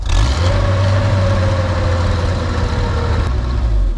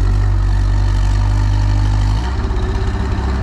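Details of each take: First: Boom lift engine with rebuilt carburetor, mixture screw now two and a half turns out: low, even idle holding steady with no surging or stumbling, running pretty well after the adjustment, though the problem has been intermittent before. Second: Boom lift engine with rebuilt, ultrasonically cleaned carburetor, run from the platform: high idle with the pedal down drops into an uneven, pulsing, choppy chug with smoke when the foot is lifted, then dies; rough idle, owner suspects idle set too low or governor, lean low-speed mixture.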